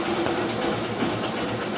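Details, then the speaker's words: Honda Shine (BS4/BS3) motorcycle after full engine rebuild, self-started: small single ticking over at an even, steady idle with soft light exhaust note, no knocks or rattles; normal idle. "गाड़ी start condition में है, यहाँ पर engine का आवाज़ सुना दे आपको perfect तरह से, कोई तरह का इशू नहीं है।"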